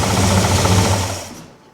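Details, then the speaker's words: Idling big-block Chevy V8 in a Pontiac, just after a new oil line was fitted: a fast, busy metallic rattle from the accessory belt drive that was absent with the belt off; owner suspects the water pump, fan or a bearing. Unconfirmed. "It's got like that rattling noise, which it definitely didn't do when the belt was off. So, that's a weird one."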